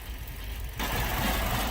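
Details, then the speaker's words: Ford Focus with lean code P0171 plus a second code runs terribly at idle, visibly vibrating: uneven, lumpy, shaky low rumble that never settles; rough idle from unmetered air leaking past a cracked airbox. "So here she is. You can hear it just running terribly. You can see it vibrating in that."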